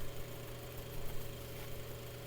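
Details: Mainstays 9-inch high-velocity fan on medium speed: constant low motor hum with an even airflow rush; normal running.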